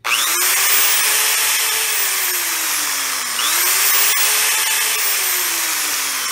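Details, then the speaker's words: Corded drill with universal motor running at full speed on about 170 V peak rectified DC instead of AC: smooth high-pitched whine, slight speed drift, even and steady; runs normally. "so as you can see this drill does not care whether it's powered with a DC supply or an AC supply and that's precisely because it uses a universal motor"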